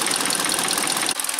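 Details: 2012 Kia Soul after engine swap, warming up before test drive with oil topped up: fast, light, even ticking over a steady, unchanging idle; healthy engine.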